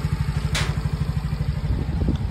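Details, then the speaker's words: Yamaha Mio Gear 125 single-cylinder scooter with 25,190 km, idling after its loose spark plug and cap were tightened. An even, quick putter with steady pulses and no ticking: a clean, normal idle. "Ito yung tunog ng makina niya ngayon. Normal na ulit. Walang kalagi-lagitik mga bossing."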